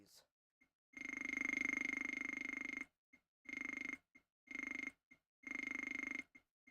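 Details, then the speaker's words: Atari 520ST with SM124 monitor and no mouse: the keyboard gives a buzzy, burring error tone in short bursts, one per arrow-key press, likened to dialing an old rotary phone, because Alt must be held to move the pointer. "Um, it just makes that noise when I try to move the arrow keys. You have to hold some key down. Just says it sounds like it's dialing an old rotary phone."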